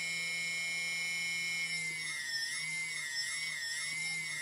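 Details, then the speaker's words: TBS Discovery quadcopter, TBS 900 KB motor (engine number three) after tape balancing, vibration checked with iPhone iSeismometer app: steady high electric whine rising and falling smoothly with throttle, no shudder or rattle, no excessive boom vibration. "it's quite the same and throttling so giving no excessive vibrations in the boom"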